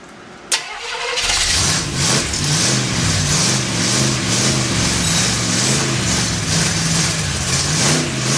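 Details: Freshly built Chevy 283 V8 first fire-up, unplugged vacuum port: runs at a fast, uneven lope with wavering note, not settling; big vacuum leak, sounded better with a hand over the carburetor.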